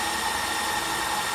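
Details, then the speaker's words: Repaired Makita lithium-ion battery pack running a test rig, near 2 minutes: steady high motor whine, pitch starting to sag as the pack depletes; motor slowing from depleted battery. "this oh it's slowing I can hear it slowing down"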